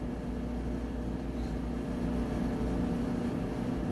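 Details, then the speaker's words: Roper (Whirlpool-made) electric dryer about 1.5 years old, in like-new condition, running on timed dry after a 22-point inspection: low, even motor hum with soft drum tumbling, no scraping, squeal or thumping; normal quiet, smooth running. "You can hear it's nice, quiet, smooth operation."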